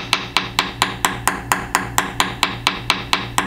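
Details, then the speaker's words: Tap test on a VHA 206L composite main rotor blade at the balance weight receptacle: quick, even taps change from a solid tone to a flat buzz over a delamination about two inches long. "so you might have noticed that right in this area it went from a solid tone to a more flat buzzing like sound"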